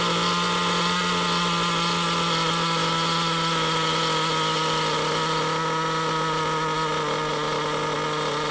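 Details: Nitro RC car engine ticking over after the tick-over screw was turned back out, because idle had risen from low-speed needle adjustment. High, buzzy note holds steady and constant, with no surging or hunting; normal idle.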